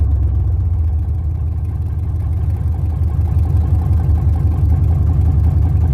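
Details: LS 6.0 V8 swap, first start, filmed from down low: very loud deep V8 burble with steady low pulses and a couple of quick revs, firm and even, no knocks or misses; normal start and revving.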